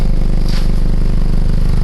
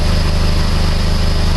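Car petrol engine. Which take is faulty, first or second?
first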